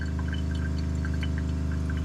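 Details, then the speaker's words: 2021 Aspen Trail LE 1950BH RV water pump during de-winterization, working hard to fill the hot water tank after taking prime: a steady low drone with fast, even pulsing, labouring but smooth. Normal pump running under load. "see let that pump catch up it is filling that hot water tank so it's going to be working pretty hard right now"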